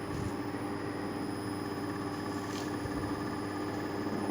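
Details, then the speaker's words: Inverter air conditioner after fitting a universal control board: outdoor unit fan starts with a faint hum and slight compressor rattle, drawing 0.6 A while being charged with liquid refrigerant gradually; normal start. "recién se acaba de escuchar encendió el forzador de la unidad exterior y se escucha un leve zumbido"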